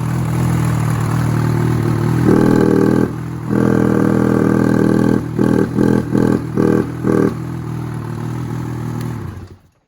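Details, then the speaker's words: 2016 Ski-Doo 800 E-TEC Freeride snowmobile: starts and idles fine, but short throttle stabs barely lift revs before falling back, won't rev past about 1200 rpm; bogs off idle, throttle butterflies suggested to check, cause unconfirmed. "So, if you're having problems, it starts fine, but you got no throttle. It doesn't do anything over idle."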